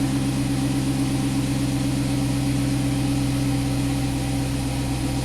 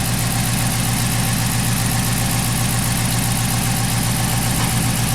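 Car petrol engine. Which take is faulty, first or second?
second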